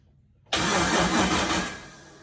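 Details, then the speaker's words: Turbo LS swapped G-body Malibu, first start attempt with spark plug tested out: just over a second of steady cranking winds down without firing; no spark. "No spark. We've messed with it a few times."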